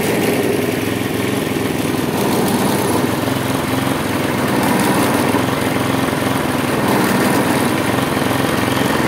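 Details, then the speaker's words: Husqvarna J55S mower, worn Briggs & Stratton 650 engine, throttle held open with string: busy mid-pitched beat keeps swelling and sagging unevenly, jerking the handles and puffing black smoke; choked air filter making it run rich and hunt. "jak widzicie kosiarka pracuje bardzo niestabilnie bardzo nią szarpie było widać to też na rączkach pracuje w takim swoim dziwnym cyklu obroty są jakie są"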